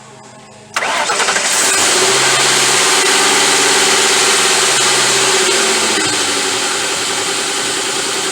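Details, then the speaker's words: Ford Crown Victoria 4.6 liter engine with completely dead battery (0% charge) jump-started by Gooloo GP4000 jump pack: brief crank, V8 catches within a second and settles to steady even idle; clean normal start. "This thing does, in fact, crank over and start the engine with a completely dead battery with no problem."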